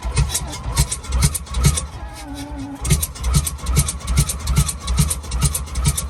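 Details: Alvis Stalwart not run for 30 years, sprayed with Easy Start: uneven, lumpy thumping a little over two beats a second with faltering gaps, catching on starting fluid and running rough; no oil pressure shown afterwards, gauge possibly faulty.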